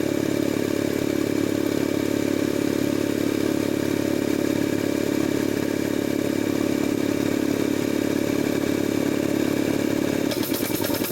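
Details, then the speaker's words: Jenny air compressor trying to unload the head, but debris trapped in the pilot valve prevents unloading: steady pumping chug about three beats a second breaking into rapid machine-gun chatter, short cycling. "Okay, now the machine's actually trying to unload the head, but due to debris trapped in the pilot valve, it's not allowing the head to unload. We call this short cycling. Kind of sounds like a machine gun."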